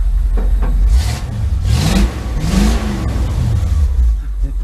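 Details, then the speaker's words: Custom Ford Bronco with Magnaflow mufflers: deep, throaty exhaust rumble with a few clean rev blips and no knocks or misses, running pretty good. "sounds like it runs pretty good"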